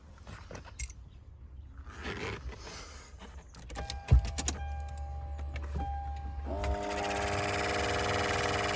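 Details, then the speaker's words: Lexus GX470 blower fan before repair, climate control on: a loud, rushing roar like a plane taking off, settling into a steady droning whoosh. Caused by a squirrel or mouse nest in the blower; noise reduced after the nest was removed. "I'll go ahead and go over what this thing sounded like before, when I would turn on the climate control. It literally sounded like I was about to take off on a flight."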